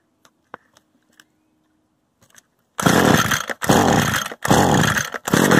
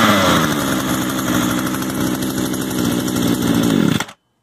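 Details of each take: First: Used Echo gas trimmer, choke on and bulb primed: six even recoil pulls about a second apart with no firing at all, because the stop switch had been left on stop. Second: Used Echo gas trimmer after idle adjustment, choke off: small two-stroke buzzes at a steady, even idle for about four seconds before shutting off; idle settled and healthy.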